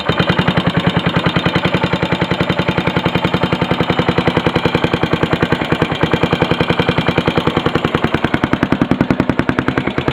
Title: yamaha sr500 engine knocking